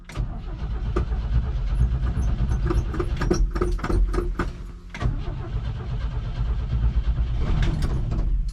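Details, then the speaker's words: 1969 Chevy truck, inline six, parked about 30 years, fitted with a new distributor cap, points and rotor, gas pedal pumped: starter cranks the engine steadily for several seconds but it won't fire; extended cranking, no start. "give her a couple pumps and well maybe not seems she don't want to run huh"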